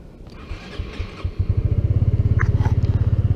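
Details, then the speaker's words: Honda PES 125 scooter starting: brief starter whirr, catches at once and settles into an even steady putter of about ten beats a second; fast, clean, healthy start. "i wanted to share that with you guys again look how fast it is for starting"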